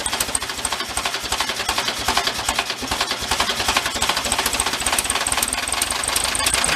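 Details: 1973 Karmann Ghia barn find, engine just revived, at idle: fast sharp metallic rapping over the idle. Internal knock, cause unknown.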